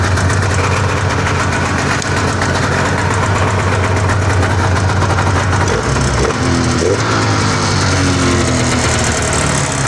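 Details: 1981 Arctic Cat El Tigre snowmobile two-stroke after adjusting the carburetor slide cables and idle screws to equal. Steady, even idle with a smooth burble, neither hunting nor stalling, settling near 1500 rpm; sounds healthy.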